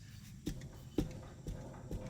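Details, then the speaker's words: 1997 Honda CR-V, rear suspension rocked by hand on the passenger side; dull low drum-like knocks about every half second with large suspension movement: badly worn, failed rear trailing arm bushing needing repair. "do you see that do you hear that i was a drum so the whole suspension is basically moving there and back and that needs to be repaired"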